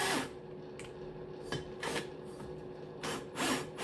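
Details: Cox 1641 engine, new cylinder head, valves lapped with a drill in a cold garage (about 2–3 °C); slow back-and-forth rubbing strokes, soft and even with no gritty cutting left, so the valve seat is fully lapped.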